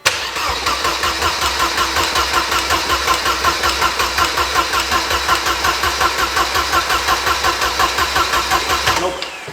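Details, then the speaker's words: Mercedes 190E with a swapped engine, fuel pump working intermittently, brake cleaner sprayed in: steady starter cranking at nearly three pulses a second with even compression beats and not one firing; suspected no spark from ECU power or ground fault, unconfirmed. "so when we turn turn it over it does not fire even once and that tells me that probably there is no spark right"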